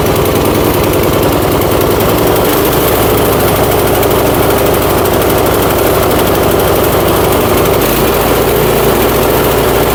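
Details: Troy-Bilt Storm 2410 snowblower after replacing the carburettor with a new one: small single-cylinder holds steady fairly even drone with slight unevenness; runs a little better, old carburettor faulty.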